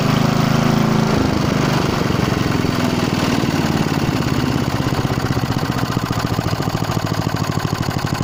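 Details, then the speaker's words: Hayter Hayterette lawn mower with an old Briggs & Stratton engine and governor arm: catches and races to a high uneven rev, never settling to tick-over unless the arm is held by finger. Engine surging, won't idle; cause not confirmed. "It won't tick over either. If I put my finger on, it will tick over. If I let it go, it won't."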